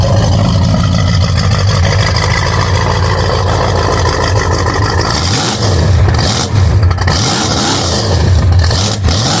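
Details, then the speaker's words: Ford 351 Windsor rock crawler truck with Holley EFI, first start after replacing many parts, key turned without throttle: loud, even V8 rumble with steady firing and smooth rev changes, no misses or knocks. Running properly. "Don't touch the throttle, just turn the key. I told you. Listen to that. Sounds right."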